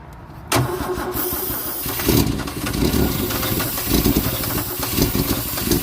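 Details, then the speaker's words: 1964 Holden EH ute, after a perished fuel pump diaphragm was found: the engine catches sharply on a big dose of starting fluid and runs rough and uneven for a few seconds, running only on the fluid; fuel still isn't getting through (fuel starvation). "yeah, I don't think there's any fuel getting through to it still."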